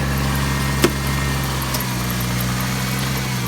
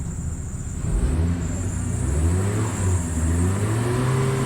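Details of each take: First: 2003 Chevy Trailblazer after sitting almost 2 years, new battery installed, AC compressor off; steady, even low idle hum with no knocks, misses or surging, starts every time: normal idle. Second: 2003 Chevy Trailblazer revived after sitting almost two years, old fuel replaced: runs smoothly, then after a few revs the rpm falls back, sags low and almost stalls before recovering; rpm dip after revving.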